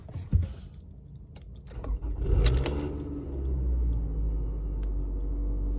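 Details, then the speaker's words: 2010 Toyota RAV4 base 4-cylinder, cold or hot start: starter whir, then a split-second rough rattle/rumble and vibration as the engine catches before settling to a smooth idle; cause not confirmed. "The engine runs nice and smoothly. That sound is nice and smooth, but if you listen to just that first split second, it kind of rattles and can't quite figure out what it's doing."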